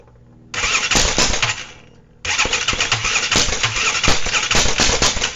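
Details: ATV engine just rebuilt, first start attempt, possibly not fully hooked up: two bursts of fast cranking with a rough rhythmic churn, never catches and runs; crank no-start, possibly flooded or timing off, not confirmed.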